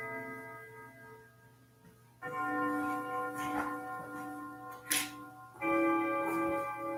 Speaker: Good sounding clock. it It is. is a really nice sounding clock. I always like this style case too, because it had like a nice mellow melody instead of like really Yeah, I like crazy.